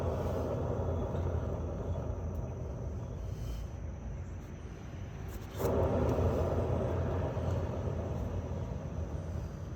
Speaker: Hello, here is the Harbor Freight trailer, and one of the wheels is nice and quiet, but the other wheel, this is the sound that the bearing makes when I spin the wheel.